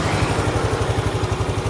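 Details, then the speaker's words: Honda Dash 125 FI single, 126,000 km, just overhauled incl. timing chain set: quick, even idle with a light valve-train tick, slight noise not loud, owner says it is louder when cold. "Ada bunyi sikit kan. Tapi bunyi tu tak kuat sangat. Kalau dia sejuk kuat bunyi dia."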